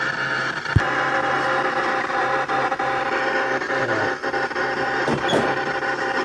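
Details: Sega Outrun arcade cabinet after monitor rework, recap of the two-channel audio amplifier and board, and reseating all chips: constant background static and crackle with a repeating "bong bong bong" / da-da-da blip that won't stop; cause unknown.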